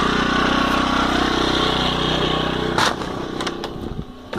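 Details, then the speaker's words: Champion 1200 W generator at first start-up, freshly filled with oil. It was restarted without choke a couple of minutes after an earlier run and started on the first pull. An even small-engine buzz fluctuates briefly, then steadies at 120 volts and runs fine with no surging or misfire. "it just started right away on the first pull. Fluctuated a little bit just to steady itself at 120 volts there, and then it's been running fine."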